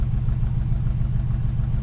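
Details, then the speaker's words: 1936 Plymouth Roadster at idle during a pre-purchase inspection, temp gauge starting to climb: steady, even exhaust pulse with a deep mellow note and no pops or backfires; normal idle. "I'm not hearing any backfiring, right? Sounds pretty smooth, and it's got a good tone to it."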